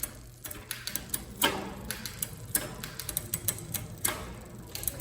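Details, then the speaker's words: Specialized Expedition bike, 8-speed rear cassette, while adjusting the rear derailleur, which had shown noisy, ghost and skipping shifts under load; light, irregular clicking and a brief lag on downshifts, a hesitant shift. "Little hesitation there. Maybe this the tiniest bit inward. That's going to let it hop down a little better."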